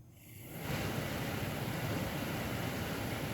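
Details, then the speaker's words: 2011 Mini Cooper blower motor, removed and bench-tested on low after a seized motor was freed and spun by hand: steady even rush of air with no rattle or squeal, normal blower operation. "there you go guys it is officially working and I could crank it all the way up"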